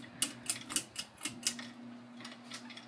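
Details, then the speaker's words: 2000 Heritage Fernaux 42" ceiling fan, bought new at a thrift store, switched up to high speed: light sharp ticks about four a second over steady motor hum, then quiet running; drywall debris rattling in a motor vent. "That's drywall that had fallen down and managed to get into one of the motor vents of the thing. It kicks around in there every now and then."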